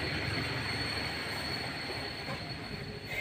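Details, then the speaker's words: Daihatsu Xenia 2013, engine idling: thin, steady high squeal with the clutch pedal released that goes silent when the pedal is pressed; workshop blames the clutch release bearing, long-standing, replacement would need transmission removal. "nah ini saya Pak koping nah bunyinya senyap kawan-kawan ya tidak ada [Musik] lagi tapi ketika dilepas berbunyi"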